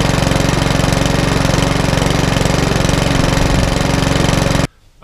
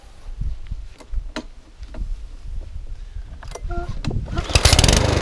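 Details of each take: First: Mountfield HP164 lawnmower that kept cutting out, after cleaning, on a 10–15 minute test run: small single-cylinder engine holds a steady, even beat with no surging or hunting; running as it should. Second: Mountfield HP164 lawnmower that keeps cutting out: after a few pulls it catches and surges in a repeating rise and fall about twice a second; hunting, with a carburettor problem suspected, which is then ultrasonically cleaned.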